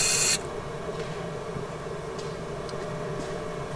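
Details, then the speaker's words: BMW E46 328i turbo on E85, key-on after refitting AEM 340 L/h fuel pump and new 3.5 bar regulator (previous Quantum pump didn't fill rail): short loud rush settling into steady clean hum, very different than before; rail pressure now present, normal prime. "J'ai remis tout ça en place et je peux te dire que le bruit n'est pas du tout le même. Je pense que ça sent bon pour la suite."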